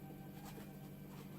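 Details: Nema 17 stepper motor dry run on a RAMPS 1.4 board during 3D printer build, after checking wiring and setting driver voltages: quiet, steady electric hum, even pitch, no clicking, grinding or skipping; running normally.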